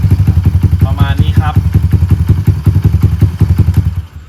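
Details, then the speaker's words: Honda Monkey-style Stallions minibike after fitting a Dash carburetor: steady low thumping single-cylinder idle with even, regular beat and no stumbling; idling cleanly. "เดี๋ยวเรามาลองสตาร์ทฟังเสียงกันดูนะครับนี้เดินเบานะ"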